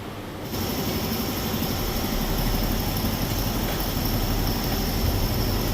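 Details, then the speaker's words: 2020-2024 Ford Explorer driving just after fix for ting/pop/snap noise: CV axle splines cleaned, lubricated with high-temp wheel bearing grease and retorqued; steady rolling rumble with no ting, pop or clicking from the front end. "I torque everything back down, and they don't get the clicking anymore."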